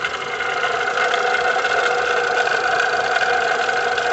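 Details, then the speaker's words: VW Gol 1.6 EA111 engine at idle: constant high rough whirring from the rear of the engine; broken water pump bearing, pump to be removed along with the timing belt. "Tá vindo da parte de trás aqui do motor, ó. Muitos já vão saber logo de cara, né? Vou fazer o seguinte, vou desmontar aqui, tirar a correia dentada fora e tirar a bomba d'água ali, ó. 100% de certeza que é a bomba d'água que está com o rolamento quebrado."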